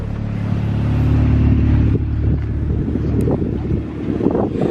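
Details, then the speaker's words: B18C1 turbo Honda CR-V with new custom exhaust, idling in daytime, muffler dangling without hangers. Deep, steady low idle rumble with an even pulse and no knocks or rattles; not too loud. Normal idle. "I think last night it was a tad bit louder because it was super duper quiet, right? But we're in the daytime now with all of the Mother Nature noises. This does not sound too loud."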